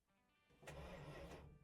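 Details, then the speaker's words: 1979 Dodge Ramcharger, ex-plow truck sitting 15+ years, starter pushed via under-dash button: dull mechanical churn rises and holds about a second without firing; engine turns over but is not yet started. "she's turning over right on let's check some other things and maybe try and start this thing"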